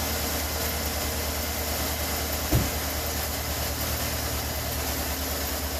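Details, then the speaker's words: 2013 Chevy Suburban 1500 5.3 V8 after replacing the belt tensioner and pulley (bad bearing caused belt squeal): smooth, steady idle with no squeak or chirp from the belt drive, one brief bump midway; normal idle, quiet. "Right. There you go. Quiet as a mouse."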